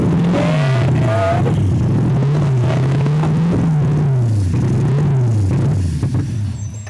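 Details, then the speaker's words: Drift car revived after three years, fed brake-clean spray and fixed by giving the coil 12 V power: engine catches and revs up and down cleanly with throttle, no misses; running properly. "dude that sounds so good oh man three years later dude that is so satisfying to hear that"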